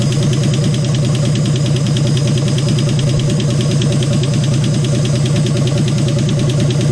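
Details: 1951 Hudson Hornet's AMC 199 engine, just reassembled and running with oil leaking: rapid, even light ticking over a steady low idle, tracking engine speed; noisy valves suspected from excess clearance on worn valves, or lifters, not confirmed.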